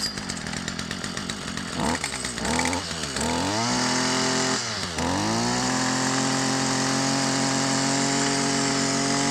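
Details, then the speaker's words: Stihl FS 55 R two-stroke trimmer that bogged and would not rev, after cleaning the oil-plugged muffler exhaust screen/spark arrestor with no carburetor adjustment: sharp blips climb cleanly to a steady high scream without bogging; revs out freely, may smoke from built-up oil. "so you can hear it revs out now we didn't have to adjust the carburetor or anything like now can breathe"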